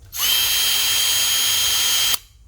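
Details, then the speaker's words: Makita DF333DWYE cordless drill, new RS-555 motor replacing the RS-550, bench-tested on battery before gearbox fitting: bright steady high whine for about two seconds, even, with no rattle or grinding; smooth, healthy motor. "Jadi dinamonya sudah langsung berputar. Bisa teman-teman dengar suaranya,"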